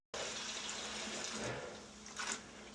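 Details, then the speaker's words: Frozen first-floor hydronic heating zone in Long Island Levitt-style home, thawed with high-amperage pipe thawing machine (370 then 224 amps): steady hiss of running water starts and settles with brief surge; a little flow beginning. "I just heard something. You heard that too, right? Yeah. Sounds like water. Exactly. Looks like we got a little bit of flow right there."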